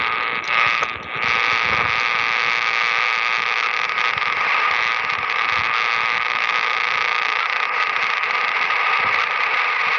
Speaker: no matter how great your equipment is if you haven't got it plumbed properly outside the noise from power line is going to come on in and you all know what power line the noise sounds like it is plain ugly